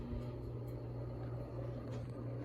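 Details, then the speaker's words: G.E.M.C. (Golden Electric Manufacturing Co.) 48-inch ceiling fan on high: steady low motor hum with a continuous rumbly whir. The bearings are plainly audible and worn-sounding, but the fan still runs fast. Ceiling fan bearing noise. "Ooh, you can really hear those bearings. And like I said, this fan's a hurricane."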